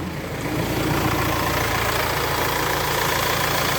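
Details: Renault Espace 4 at idle just after fitting a new accessory belt (the old one failed on the motorway): steady, even hum with no belt squeal or chirp, steering turns easily and the A/C works. Normal idle after the repair.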